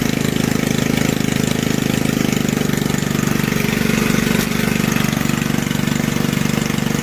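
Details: Old junkyard Briggs single-cylinder from reel mower, bench-mounted, throttle about one third above idle: runs fast with uneven clattering rattle every stroke over exhaust buzz; owner blames the old recoil starter.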